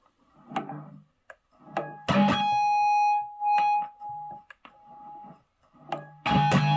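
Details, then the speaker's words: Electric guitar through an amp after spraying electrical contact cleaner into a dirty, crackly volume pot: clean notes ring with no crackle or scratchy pops. "There we have it. Crackling is gone."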